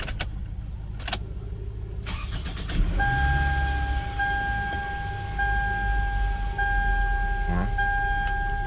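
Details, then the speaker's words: 2005 Toyota Camry being diagnosed for crank-no-start. With the security light off, no codes and immobilizer permit start now OK, a few clicks and a short crank bring a clean catch into an even idle. Normal start, one of several restarts. "that's four times I've restarted it"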